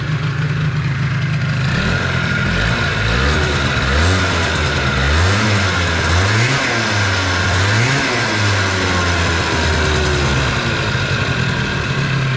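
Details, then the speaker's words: 50cc two-stroke Stunt scooter, cast-iron Stage6 cylinder, Stage6 variator, clutch and medium spring, new plug, just rebuilt and kick-started: buzzy revs sweep then fast idle; idle too high, scooter creeps by itself. "que ça marche pas le scour il avance tout seul enfin il recule carrément là"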